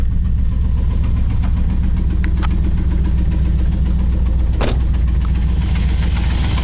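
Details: 1997 Chevy K1500 4x4 Z71, Vortec 350 5.7 V8, 250,000 miles, cylinder 3 low compression, losing some coolant: deep idle with a dull regular knock about three to four beats a second; owner suspects connecting rod knock, unconfirmed.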